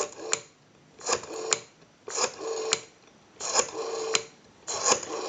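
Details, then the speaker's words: Northern Electric 302 rotary desk telephone on an analyzer during checkout after a ring cycle and dial tone: five quick bursts of buzzy clicking as the dial spins back evenly; numbers register, normal smooth dial return. "have a nice smooth return on our rotary"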